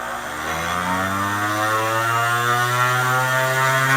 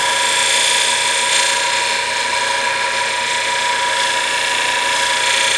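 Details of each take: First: Harbor Freight grinder rated to 10,000 RPM, on its lowest setting: smooth, high, steady motor whine climbing as it spools up, far too fast for sharpening and overheats tools. Excessive grinder speed. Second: Tool edge sharpened on a nylon fiber wheel fitted to a motor: steady hum with high even hiss of edge riding the wheel, normal contact; fiber wheel generates heat, so cool the tool often.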